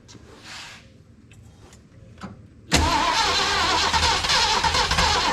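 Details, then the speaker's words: 1974 Ford Bronco V8, first start in over 16 years after fuel system work; small fuel filter leak; little knock, oil pressure came right up; loping uneven idle, owner suspects one cylinder down, not running on all 8. "Had a little knock, but oil pressure came right up. Not running on all 8. It's idling. Probably down 1."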